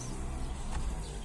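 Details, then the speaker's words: Lada Vesta Cross, about 58,000–60,000 km, after replacing rear pads, cleaning and regreasing slides and guides (the plate had been crushed by the piston, squeaking in reverse): low smooth rumble reversing with no squeal; rear brakes now quiet. "еду Сейчас специально попробую ничего не скрипит задний ход тихонечко никакого скрипа"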